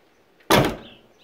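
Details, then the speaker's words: 1973 Triumph Stag driver's door slams shut with a loose, rattly clatter instead of a solid thunk; the door is also hard to lock with the key, and the trim panel is not clipped on properly. "So the car doesn't always lock. That's my first problem. I'm going to fix that. Secondly, it rattles."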